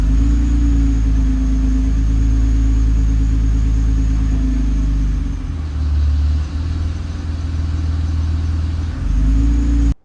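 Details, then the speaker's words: Nissan R35 GT-R with GR6 transmission, touch points set too high in transmission utility: low uneven rattle over deep idle as engine lugs, often mistaken for bell housing; engine lugging rattle. "you hear that noise? That rattle? Anytime anybody hears that rattle, they think it's a bell housing. It is not. It is the engine lugging due to excessive uh touch point uh preferences."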